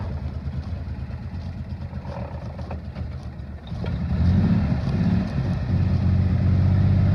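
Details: 1960 Grumman Olson running off a fuel can (tank pickup sock suspected clogged): low, steady engine rumble that firms up and grows louder as it moves off; runs smoothly with no knocks, transmission likely unsynchronized.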